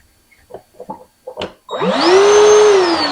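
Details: Bauer 20V 7-gallon cordless wet/dry shop vac on a fresh 5 Ah battery, at the start of a no-load runtime test: a few clicks, then the motor spins up quickly to a steady, smooth whining rush. Running normally.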